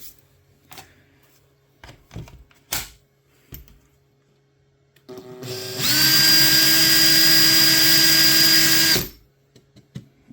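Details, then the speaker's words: Makita 18 V drill that had run slow and smoked, suspected melted motor, test-run after opening and reassembly: spins up to a clean steady high whine and holds it; weak motor but working. "struggle and run. You can do it. There we go. Shitty motor, but still working."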